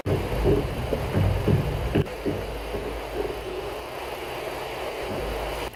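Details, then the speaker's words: Ford Explorer, phone recording at the front strut mount while the steering wheel is turned with the engine running: dull, uneven clunks; the strut mount bearing is worn from debris getting in and needs replacing as one piece with the mount. "Some of explorer make a clunking noise while steering wheel turning."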